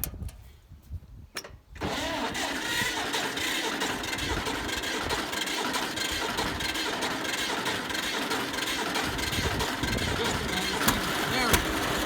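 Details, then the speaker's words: 70-year-old farm tractor, unrun 20–25 years, after cleaned-up carburetor (old one cracked) and solid-state ignition replacing points and condenser, started on choke: short crank, catches at once, runs steady and even; still needs some tune-up. "that sounds awesome. Yeah. Still needs a little bit of tune-up and work, but it's nice just to see this thing running."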